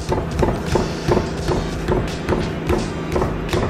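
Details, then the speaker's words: BMW E46 M3, front right wheel that had been whining for over a week, car jacked up: dull clunks about every 0.4 seconds as the wheel is rocked by hand. The wheel wobbles from a worn wheel bearing, unlike the already-replaced solid side. "yeah it's not supposed to be wobbling like that look that's the real one that's already been replaced solid solid as a rock this one is not oh dude that's bad"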